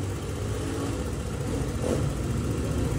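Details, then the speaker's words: Honda Click 125 with a complaint of idle rising and falling, after the altitude setting was reset to mode 1: an even, steady idle around 1700 rpm, slightly high, with no misses or hunting. Normal idle. "Check natin yung kanyang parameters data Tama na yung Menor Ayan medyo mataas boss ng bahagya"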